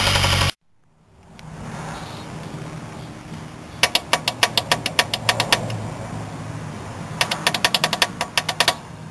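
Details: Lightly modified 1G Eclipse/Talon DSM turbo, 4G63 factory 6-bolt: severe rod knock, sharp metallic knocking when revved; turbo full of metal; bad tune suspected of filling crankcase with fuel, oil smelled of gasoline.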